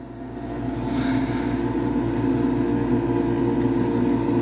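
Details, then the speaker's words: Old Lennox pulse-combustion furnace with large mufflers on a no-heat service call: steady low drone with fast even throb, about three or four pulses a second, no misfires; furnace lit and running normally. "but anyways back to the furnace i mean i i can hear it it's it's on"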